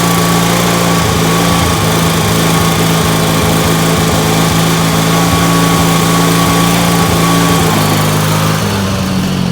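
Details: Ford YT16 lawn tractor under restoration, running with a fast, steady high buzzing drone, revving quite a bit higher than it should; carburetor issues despite a new carb.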